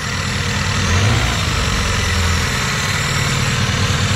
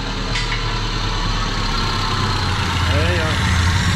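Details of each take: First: Vectra parked 10 years, first start: engine settles into a steady, even idle with a low smooth beat and no knocks or misses; normal idle. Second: Chevrolet Vectra parked ten years: low, lumpy idle with uneven stumbling beat; misfire with dead cylinders because two fuel injectors were clogged and not delivering fuel.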